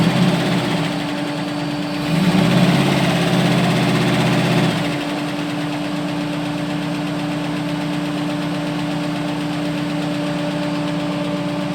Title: AMC 401 lifter tick